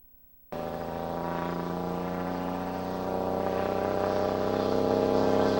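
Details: ISM diesel engine with the compression brake engaged: a deep rumble with a steady buzzy drone pulsing about four times a second and building gradually.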